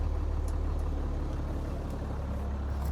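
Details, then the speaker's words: 1981 International semi diesel, long-abandoned, fires right up with oil pressure: deep, steady rumble with an even low throb, no knocks or misses, running cleanly. "Okay, we got oil pressure. Uh, holy boy, she fired right up."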